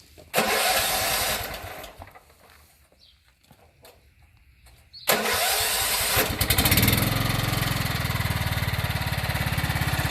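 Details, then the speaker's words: Riding lawnmower with replacement Kohler single-cylinder engine swapped in for blown Briggs & Stratton; steady even run with no knocking or tapping; surging later with deck engaged, suspected filter. Normal running. "Oh, that's quiet. There's no knocking."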